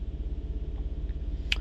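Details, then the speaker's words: 2008 Honda Pilot with misfire codes on cylinders 4, 5, 6, idling high around 2,000–3,000 rpm: low rumble with uneven stumbling pulse, check light blinking; relative compression test shows 4, 5, 6 low; bad coil or injector suspected. "You can see it start revving high, and you can see the blinking light that is misfiring."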